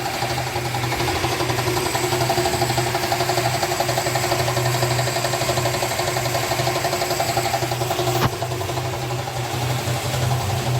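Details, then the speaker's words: 1965 Chrysler Valiant AP6, starts first time without pumping the pedal, no smoke: steady idle with a light, irregular tapping knock over a low hum; engine knock at idle, cause unknown. "so it actually runs real nice starts up straight away first time don't have to pump the pedal nothing but you heard that knock and"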